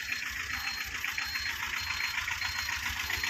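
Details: 2012 Tata Ace diesel, two owners, engine in very good condition, full wiring work done: typical diesel clatter at steady idle, even rhythm, no odd knocks, misses or surges; normal healthy idle.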